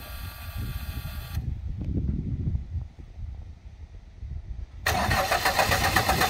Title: 1st Start Backfiring